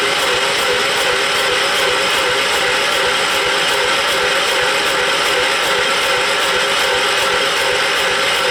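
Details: John Deere 212 lawn tractor, engine believed a 12 hp Kohler, on charged battery: steady starter cranking near three beats per second, never fires; smoke puffing, possibly from exhaust or a suspected blown head gasket, compression seems adequate.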